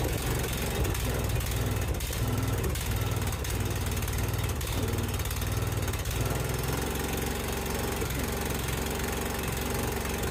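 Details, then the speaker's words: Briggs & Stratton 16.5 hp single-cylinder mower engine, after camshaft replacement for auto-decompression fault, carburetor still priming: even, steady chugging as it cranks and catches, no knocks or grinding. Normal cranking and start. "The carburetor is going to have to prime and everything, so keep that in mind, but let me show you how it cranks."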